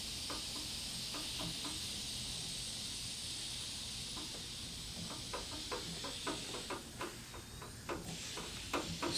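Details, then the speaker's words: Replacement 20-gallon aluminum left fuel tank from a Stinson aircraft under pressure test, balloon on the output nipple, filler cap known to leak: a thin, steady high hiss that changes pitch, air escaping at the filler cap. "like it's from coming from the camp it's changing pitch okay"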